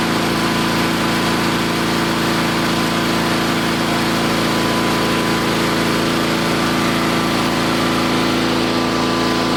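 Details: Old Onan engine at half throttle, after replacing points and condenser: fast, even buzzing run with no pops, sputters or backfires and no arcing; ignition firing cleanly, carburetor still needs slight fine-tuning.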